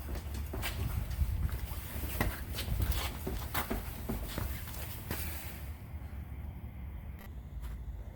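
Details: 2003 Honda Pilot, seven-year-old rear shocks, bounce test pushing on the parked rear: repeated short creaks also heard over speed bumps and potholes, from worn rear shocks; replacement removed the noise.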